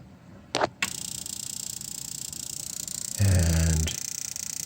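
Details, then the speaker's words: Steam boiler gas burner, cleared of spider-blocked orifices, relighting after the pilot valve was pulled and reset: steady spark-ignition ticking, then a soft whoomp and an even roar; it fires right back up, no problem. "I set the pilot valve on, and it just fired right back up, no problem."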